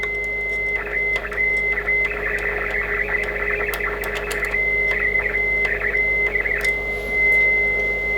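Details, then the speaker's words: ICOM IC-751A receiver: steady whistle in the hiss breaks into crackling bursts when the VCO trimmer capacitors are touched, on 7–28 MHz bands; sound stays crispy, so all four VCO trim caps need replacing. "the sound is always a little bit crispy so I think I have to replace all four trim caps by new ones"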